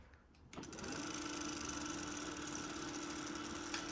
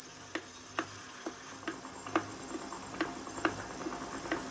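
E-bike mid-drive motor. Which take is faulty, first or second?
second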